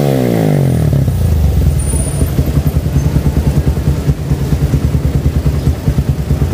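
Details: 2008 Suzuki Satria FU150 after a carburettor rebuild with a 17.5 pilot jet (standard 12.5) for its racing exhaust: revs drop quickly to an even, pulsing idle through the loud exhaust; the carburettor is well set and the engine healthy.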